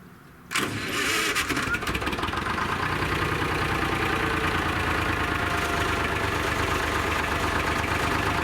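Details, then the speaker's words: Lima 34 shovel diesel after repairs: cranks briefly, catches at once and settles into a steady, even idle with a loping beat about three per second. Normal start and idle. "so i think we're ready to fire it up and grease those last few items and then hopefully try to dig with it"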